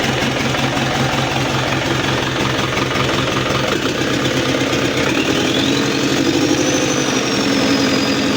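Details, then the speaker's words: Isuzu Panther turbo diesel after rebuild following overheating, melted piston and stuck injector, first start, oil pressure not yet up: unusually soft, even idle without diesel clatter, white smoke and slight limp; injection setting possibly off. "Ini bisa jadi dari suaranya terlalu halus dan juga settingannya kurang pas."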